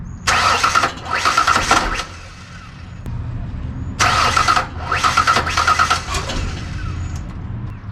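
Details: Rebuilt Ford Ranger 4.0 (new heads) after a loose-stud repair: two bursts of steady cranking, no firing. Owner considers jumped timing but doubts it; cause unconfirmed.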